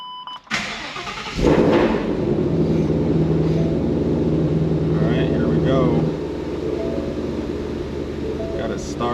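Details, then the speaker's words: Shelby GT500 V8 after replacing shredded belt and bent AC compressor pulley, fan not yet installed: starter whirr, catches into steady even idle, no squeal, slap or knock; belts spin straight. Normal start and idle after repair. "so it looks like all the belts are spinning nice and straight um nothing is nothing is ripping or or the belts are not getting any damage"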